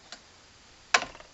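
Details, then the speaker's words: 1968 Gravely C8 tractor magneto after points were cleaned and adjusted, copper plug wire, cranked by hand: two crisp sharp snaps about 0.8 s apart; nice bright blue spark, magneto healthy. "we won't be able to see this bark but I got a nice bright blue spark now if it even"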